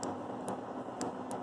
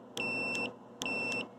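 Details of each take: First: Bridgeport Model 6F milling machine power feed limit switch being tested: faint sharp clicks about half a second apart over machine hiss; switch sluggish, delayed snap-back on release. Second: Bridgeport Model 6F power feed limit switch tested with a meter on common and normally closed/open contacts: three clean, even half-second continuity beeps; switch is good, it was loose and probably just needed adjustment.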